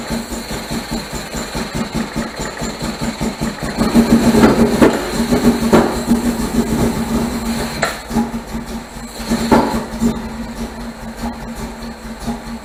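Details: 1978 MGB after fitting rebuilt carburetors and deleting ignition points, started on starter fluid with no choke cable: uneven lumpy idle, stumbling beat, irregular loudness surges, misfiring; still rough and very rich, owner wonders if valves are too tight.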